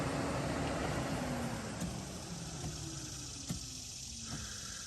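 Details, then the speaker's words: Infiniti G35/G37 hidden function test with the engine idling: steady airy A/C condenser fan rush, a low hum easing down in pitch and light clicks from the A/C lines, showing the fans work normally. "And there goes the AC. Making sure its fans are working."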